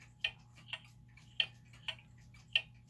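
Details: German time/strike pendulum clock, being levelled and set in beat by adjusting the pendulum crutch. Tick and tock are unevenly spaced, gaps about half a second then two-thirds; clock out of beat.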